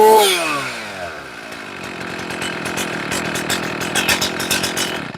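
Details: Chainsaw after leaning the low-speed screw further, idle stabilized at 2,800–2,900 rpm. The throttle-response check snaps cleanly from idle to a high steady scream without bogging; carburettor settings are about right.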